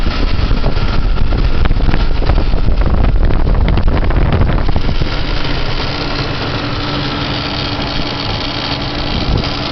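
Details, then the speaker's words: Engine idling, diagnosed with a stethoscope: a strange, light, fairly regular knock of about four per second, located at the right rear corner of the engine; exact cause undetermined; engine knock. "звук очень странный j он под правого заднего угла двигателя вот сюда"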